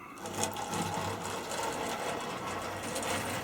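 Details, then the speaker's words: Old Tri-ang Transcontinental Pacific model locomotive after its upside-down connecting rods were corrected, running on a test layout from an old-style controller, possibly a motor strained by heavy use. Buzzing motor hum, uneven and wavering under load, powerful but not smooth. Rough running, cause unconfirmed. "not very smooth but certainly powerful so go"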